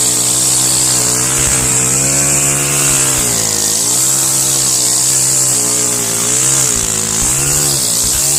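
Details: Stihl FS131 trimmer after cleaning the spark arrestor screen and carbon from the top of the spark plug hole, with a little oil added, previously hard to pull and dying: small two-stroke screams high and smooth, picking up cleanly on each throttle blip with no sputter or cut-outs.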